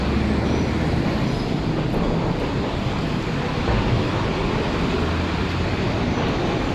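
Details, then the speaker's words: Toyota Camry ACV30 whose customer reports loud exhaust that drones and howls when accelerating. Loud, rough exhaust with a deep steady drone from a failed center muffler, replaced with a new 304 stainless unit. "ลูกค้าแจ้งว่ามีเสียงท่อไอเสียดังใกล้ๆๆนะครับเร่งแล้วก็แวะแล้วก็หอนนะครับ"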